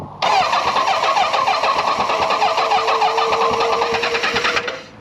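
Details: 1983 Kawasaki GPZ1100 after tapping on the fuel pressure regulator and priming: starter churns about three compressions a second with a strained, groaning tone, never firing; cranking sluggish.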